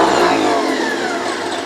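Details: 1956 Dodge 230 flathead six running on engine stand with open exhaust and rebuilt accessories: revs up with throttle and eases back smoothly, even note, no knocks or misses. Normal running.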